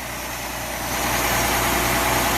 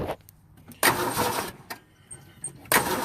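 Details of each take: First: Early-1960s Ford Falcon, believed 170 cu in inline six, first start in 16–17 years on fresh gas via temporary tank: smooth regular idle pulse, even, no valve train ticking. Normal idle. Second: Ford Falcon, believed 170 cu in inline six, first start in about 17 years with fresh battery and spark: two long bursts of steady cranking about four turns a second, no fire; crank no start from fuel starvation.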